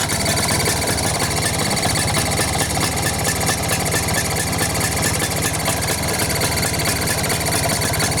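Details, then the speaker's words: Vespa two-stroke engine at idle: busy metallic clicking, ringing, chirping and 'teng teng' noises over the engine note, described as odd but not dangerous or serious; carburetor suspected, cause not confirmed. "Di dalam Vespa, terdapat banyak suara yang dihasilkan oleh mesinnya sendiri. Terdengar suara klik, suara dering, suara werewerewer, dan hanya suara teng teng."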